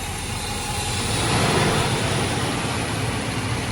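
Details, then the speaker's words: Mercedes-Benz 560SEC (W126) that only runs when fed starting fluid and then dies, owner suspects the fuel pump or relay, possibly under electrical load: idle uneven and labored, sagging and hunting; the engine is about to stall. "see that it was about to stall out"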